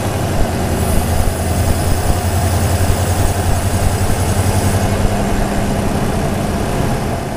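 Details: Supercharged (Magnuson) Toyota Tundra V8 after switching from K&N to TRD air filter, mic hung over the airbox: thin steady high whistle over a deep idle rumble; intake whistle from the air filter/intake.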